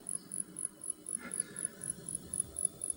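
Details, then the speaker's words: Maxx Air vent fan in van running at 10%: thin high chirping squeak about four times a second from motor after 24-hour max test and weeks of use; motor to be greased or replaced; dog barking. "So that's the squeak on the motor after doing the 24-hour full max test and then using it in production for a couple weeks and then leaving it on 10%."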